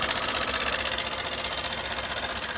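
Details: Hero Super BS6 motorcycle engine found with no engine oil at all and a rusted spark plug: a rapid, even metallic tapping of about ten per second over the idle; top-end clatter, suspected from oil starvation.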